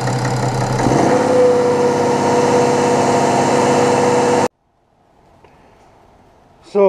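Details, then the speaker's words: BMW F01 730d, N57D30 diesel, after all six Bosch injectors were replaced with factory remanufactured units to cure a tapping/knocking noise: catches within a second and settles into a steady, clean idle with no misfire or knock; normal diesel idle. "i drove around a little bit feels good sounds good engine it's okay"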